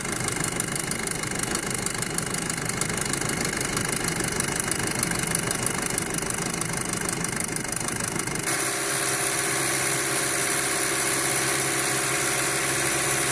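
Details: 2007 VW Passat 2.0T at idle: loud busy idle with a steady rattly clatter riding over the engine, roughly three beats a second; loud engine noise, source not pinned down.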